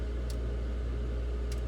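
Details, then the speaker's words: Refrigerator icemaker (KitchenAid/Whirlpool/Frigidaire type) after disassembly and repair of unit stuck between cycles; steady low hum with faint ticks as timer motor turns normally. "okay so we're definitely in flip the ice de down I can already hear the timer motor"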